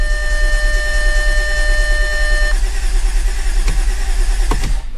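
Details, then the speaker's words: 2013 Audi S4 CGXC 3.0T supercharged engine freshly installed in 2011 Audi S4 B8 after a year, upper tensioners replaced and timed, fuel pump fuse removed: steady, even strong cranking, no catching, grinding or hesitation; healthy. "cranks very healthy I guess at that point I can install the fuse for the fuel pump"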